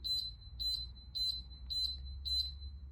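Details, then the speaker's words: Golden Technologies Buzz Around XL four-wheel mobility scooter: sharp high beeps repeating about twice a second, a six-beep error code; it won't drive while the charger is plugged in; unplug, then cycle power off and on. "So there's 6 beeps. Scooter is not going to go anywhere with the charger actually plugged in, okay?"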